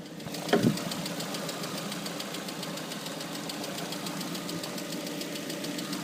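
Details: Lada Priora, warm engine: sharp, even metallic tapping keeping pace with engine speed over steady hum; appeared after −40° cold start, only when hot, not cold; lifters, camshafts, alternator, pump, bearings ruled out; cause unknown, owner suspects piston.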